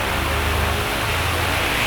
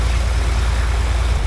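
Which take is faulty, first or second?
second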